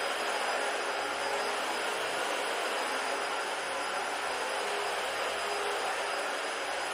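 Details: Dyson DC-40 vacuum found in the trash, tested on old carpet; steady even roar with an airy hiss, only slight suction noise and no screaming whine; normal running.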